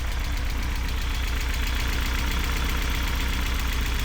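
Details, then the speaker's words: BMW E36 pulled from a field, running on its own fuel for the first time. Low idle beat of about four pulses a second with an uneven stumble: rough idle with a misfire, confirmed by the engine rocking. "And it kind of sounds like it has a little bit of a misfire."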